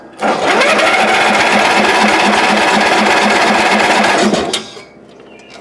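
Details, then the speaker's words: Old Ariens, sat in shed a couple of years, battery jumped, doused with carb spray: starter spins engine evenly about three and a half turns a second, never fires; owner suspects bad gas, had earlier found no spark. "yeah that gas in there might not be too happy i'll grab my little spark checker and we'll put on there just see if it's got spark i'm thinking it does and it's just real bad gas"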